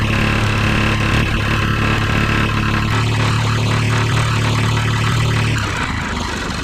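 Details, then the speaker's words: Rebuilt lawn mower single-cylinder engine, started with starting fluid, run on high: rough, fairly regular knock about four times a second; owner suspects the loose connecting rod installed during rebuild. "Yeah, we got a little trouble. I think that knocking is that connecting rod."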